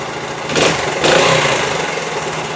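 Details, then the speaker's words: 1973 Honda TL 125 single-cylinder after carburetor rebuild for float-bowl overflow fuel leak; kick-started with choke half on, catches with quick blips and settles to an even, clean idle; sounds good for 50 years old, no leaking overnight. "foreign yeah that looks good that sounds good right there for 50 years old"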